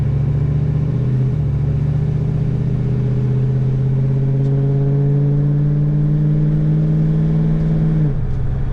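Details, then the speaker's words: Ford Fox-body Mustang, first drives after sitting since March, BAP sensor vacuum issue found: steady, even engine drone while driving, pitch level then falling off throttle; runs nice and smooth, drivable, oil pressure good, temperature gauge falsely reads hot. "Definitely nice and smooth. Good deal. So this car is drivable right now the way it is, from what we can tell."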